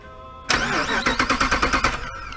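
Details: 2005 Jeep Grand Cherokee with intermittent click-no-crank, starter relay terminals shorted to bypass relay: sharp engagement then brisk even crank of about ten strong pulses in under two seconds; starter and solenoid are sound.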